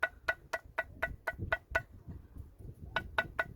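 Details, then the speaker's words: Mitsubishi Lancer/Carisma/Colt/Space Star lower control arm, removed and rocked by hand: crisp metallic clacks about four a second from play in the worn ball joint; being replaced. "See, there's a play, and then when I push it forward and back, I can hear the noise. knocking noise. So that's why we are changing it."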